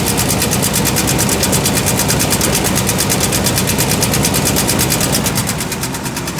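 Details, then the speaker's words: Chevrolet Caprice Landau box Chevy at idle: steady rapid clatter about three per second over the engine note; knock suspected between flex plate, starter and torque converter, not confirmed. "Like I said, that noise is something between the flex plate, starter, and the torque converter."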